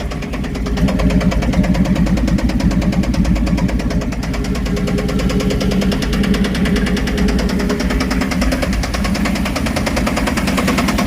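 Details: 1979 K5 Blazer first start after sitting, fed from a gas can via mechanical pump, has oil pressure: heavy uneven clanging knock about three times a second over rough idle; owner suspects external part, maybe flywheel, unconfirmed.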